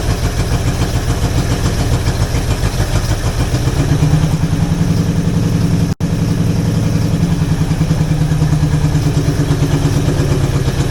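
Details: Old Jeep (FSJ/SJ Cherokee) engine just after setting the distributor, choke being opened, with a cheap Chinese carburetor due for replacement: idle hunts, pulses and stumbles before recovering; it seems to be running out of fuel. No smoke or knocks noticed.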